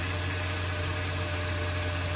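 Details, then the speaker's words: Jeep Cherokee idling after topping up low power steering fluid, with a wet hose suggesting a leak: a constant thin whine over the engine hum. Power steering pump whine; owner suspects the pump was damaged. "No to narazie pompa wyje jak słyszycie także ona pewnie dostała trochę coś niestety"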